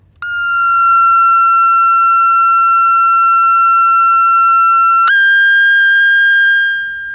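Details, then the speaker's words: Vintage Aiwa AM/FM transistor radio being repaired with a capacitor removed: loud whistle near 1.3 kHz that jumps higher in pitch, an oscillation. A shorted detector diode is suspected. "it's going up it's almost out of my hearing range now did I kill it so is that a function of I think it's a shorted detector diode"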